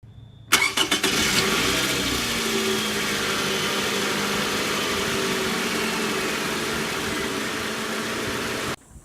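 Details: 2009 Toyota Camry LE 2.4L four-cylinder cranks and catches, then idles with a faint steady high whine from a failing alternator; alternator replaced after this recording.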